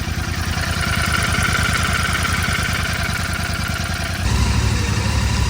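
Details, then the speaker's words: 2024 Royal Enfield Continental GT650 twin, past its first service, idling with a light, steady tak-tak tick from the head in time with the engine; tappet noise from loose valve clearance, owner fears engine damage. "ਇਹਦੀ ਜੇ ਤੁਸੀਂ ਸੁਣ ਪਾ ਰਹੇ ਹੋ ਟਕ ਕ ਕਦੀ ਆਵਾਜ ਉਹ ਹਟਾਉਣੀ ਜਰੂਰੀ ਹ ਕਹਿੰਦੇ ਨਹੀਂ ਤਾਂ ਇੰਜਨ ਖਰਾਬ ਹੋ ਸਕਦਾ"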